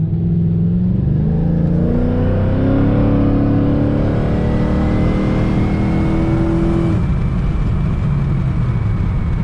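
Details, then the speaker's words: Pontiac G8 GT 6.0L V8 with new eBay axle-back mufflers replacing failed Hooker Maxflows, after a short drive: deep rumble rising and settling with throttle, faint popcorn crackle over the exhaust; source of popping unclear. "still has that popcorn sound to it that's really weird [Music] [Music] i mean in the car it sounds good i don't know what that is"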